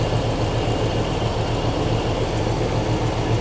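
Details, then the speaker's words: Chevy Silverado started right after an alternator belt replacement: an even, low idle with a steady pulse and no squeal or chirp, and the belt stayed on, so the engine idles smoothly. "right so we've got the belt switched it didn't pop off when I started it so that's a good sign"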